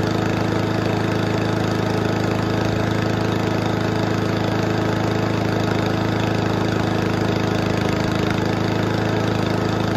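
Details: Toro commercial 22295 mower with a Honda engine, sat all winter, running on fresh fuel after old fuel in the carburetor was the problem. Steady, even single-cylinder beat at constant speed with no misses or surging; fixed, runs properly.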